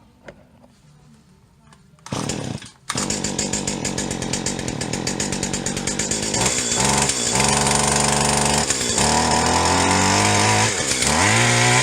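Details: Old Stihl HL 75K two-stroke hedge trimmer after carburetor work, running with choke off: buzz climbs on throttle but stumbles and sags at the top instead of holding clean revs; high-speed mixture circuit on carburetor plugged.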